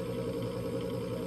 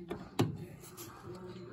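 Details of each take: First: Coleman Presidential mobile home furnace DG807BDTA: the inducer motor hums steadily but the pressure switch never clicks closed, and the board shows a three-flash code. The pressure switch is stuck open; replacing it fixed the fault. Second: Coleman Presidential DG807BDTA mobile home furnace after pressure switch replacement (old switch did not close, three-flash code): sharp click as the new switch closes, another as the inducer motor hums up; normal pressure switch closing.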